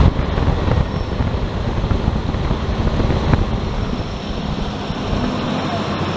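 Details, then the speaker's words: 1999 Ford Explorer engine running after replacing the serpentine belt, tensioner and idler pulley: steady low rumble under wind buffeting, no squeal or chirp from the belt anymore. "that sounds a whole lot better not squealing at all"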